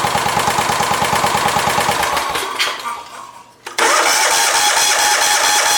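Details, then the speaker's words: Kubota riding mower that quit with a horrible noise years ago and sat, started with fuel poured into the air cleaner: runs unevenly, nearly stalls, then picks up with a ragged beat; owner suspects a valve bent when it fell out. "I do think that valve got bent a little bit in that debacle of what happened when it fell out, but it runs fairly decent for, well, having that happen to it."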